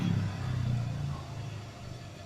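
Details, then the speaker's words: Electric motor (dinamo) after replacing the noisy rear bearing: smooth low hum easing down, no grinding, rattle or wobble, little vibration; normal run. "Tidak ada goyangan, jalan putarannya jadi halus, terus getarannya sedikit sob."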